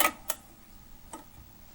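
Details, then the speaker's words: RCA RP-190 record changer after reinstalling the slider and record-dropping gear: quiet, light, irregular clicks as the mechanism trips and cycles, with no repeated rejecting clatter. The changer cycles normally. "you can hear it work this will turn and doesn't keep rejecting so that's good"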